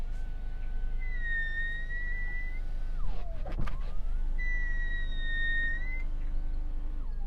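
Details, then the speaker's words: Genesis GV70: otherwise quiet electric window motors make a thin, wavering high squeal with faint whirr through each window movement when the glass is wet; may be particular to this car. "While the electric window motors in this car are very quiet, if the window is wet, you get this strange noise."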